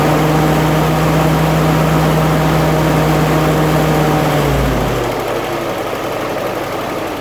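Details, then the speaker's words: 1946 Willys CJ2A flathead four-cylinder Go-Devil engine, original 6-volt system, cold start after sitting nearly a month; catches immediately and settles into a smooth even idle, revs easing down; normal idle. "good all right um so that is how a jeep should run when they're tuned up when they're when everything's right they should just crank right over and start right up like that"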